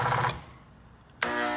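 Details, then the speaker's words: Genie Pro garage door opener: steady electric motor hum that cuts out briefly and returns while the back side spins, motor humming and stalling; cause suspected in the rail bar area. "I'm having an issue with my Jeannie Pro and what it's doing is until I try to operate it makes this kind of noise okay so right now it's you can see the back side is spinning it gives that humming sound once in a while"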